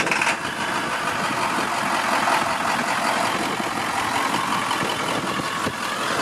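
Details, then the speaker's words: 2001 Ford F550 XLT crew cab 4x4 tow truck, 7.3 diesel, manual transmission, just started: steady even idle clatter with no misses, knocks or surges; healthy, normal diesel idle. "Alright, so we're going to go ahead and get it started now. You can hear it."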